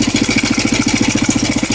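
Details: NX 250 single-cylinder engine at idle: a fast, steady metallic rattle on every pulse, sounding like loose internals; cause unclear.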